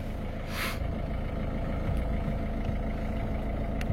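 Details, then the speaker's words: Engine idling with a loose, uneven low rattle under the rumble: dual-mass flywheel developing play, expected to break; to be replaced with solid flywheel and clutch. "Bon, on entend que ça fait du bruit. Et c'est tout simplement le volant bimasse en fait qui commence à avoir du jeu et tôt ou tard il cassera, quoi, c'est sûr."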